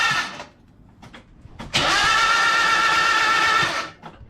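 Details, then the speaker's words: Mazda MX5 under restoration: starter spins briskly about two seconds with a steady whirr but engine never catches; cranking now healthier, owner suspects a compression build-up or a broken valve spring and plans a cam cover check. "It's spinning fast enough there. That's definitely healthier. It's just got a build up of compression somewhere."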